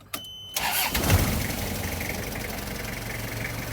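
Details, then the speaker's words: 1994 Toyota LH112 van, 2L diesel: short crank, catches almost at once and settles into an even, steady diesel clatter at idle; normal start and idle. "เครื่องติดง่ายๆประตูขวานะครับมีโบ๋ถาดดอกลำโพงนะครับ"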